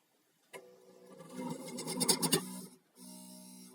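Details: Janome 525S sewing machine reported to hum: motor hums and needle chatters quickly, then stalls and goes quiet before a strained steady hum; machine binding and jamming.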